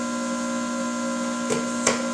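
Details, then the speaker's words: RC-1AU universal battery charger with power intensity turned up on a battery with a damaged cell reading about 3.2 V: a steady, even electrical hum with two faint clicks, normal and showing it is taking a charge. "if we turn up the power intensity you can hear a humming sound that's normal that's indicating that it is taking some kind of a charge"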